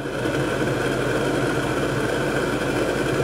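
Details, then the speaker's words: Bathroom ceiling fan-and-light unit, after repairing the bad power feed that stopped the fan: an even, steady whir with no rattle, scrape or pitch wander. The fan works normally. "a fan working in the bathroom"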